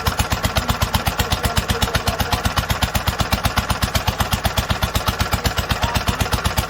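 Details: 1946 International Harvester LBB 3-5 hp water-cooled engine on its first cold start after sitting a long time covered, started after choking twice; very even steady thumping about four beats a second, no misses or knocks: normal healthy running.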